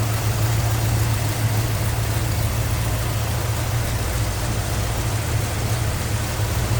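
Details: 1969 Chevrolet C10 V8 with headers and MSD ignition, engine bay: deep, steady rumble at idle with an even lope and no knocks or misses; normal idle.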